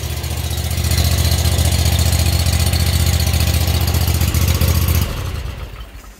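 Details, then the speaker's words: Scag Tiger Cat 2 zero-turn mower, Kawasaki FT730V EFI engine, about two years old, 1541 hours, after first-ever valve adjustment; ticking gone, catches and settles into steady even putter, shuts off cleanly: normal idle. "all that chicken is gone isn't that awesome just in those valves i believe made a big difference in how this engine sounds"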